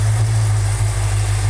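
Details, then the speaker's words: Restored 1968 Dodge Charger R/T 440 Magnum V8, automatic, first start after restoration: deep, steady, even idle with no knock or tick; sounds good, 60 psi oil pressure at idle. "Yeah. Sounds good. Maybe rattled. Sounds really good. 60 pounds of oil pressure at an idle."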